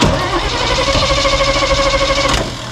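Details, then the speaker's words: Old snow plow truck with 350 Chevy, fuel squirted into carb: steady even cranking a couple of seconds, no catch; owner suspects no fuel delivery, possibly plugged carb filter, no accelerator pump. "we're not getting [Music] fuel um maybe something going on in there I think there's little filter in there yeah we're not getting fuel"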